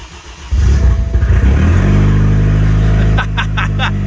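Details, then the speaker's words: Freshly rebuilt BMW N20 four-cylinder in a 328i, first start after reinstall, coolant bled and oil primed, no exhaust fitted; catches after brief crank into a loud, raw, even idle with light top-end ticking, sounding horrendous only from no exhaust; engine healthy. "Oh my God, that sounds horrendous. Not because there's a problem with the engine, just because it's a 4-cylinder with no exhaust."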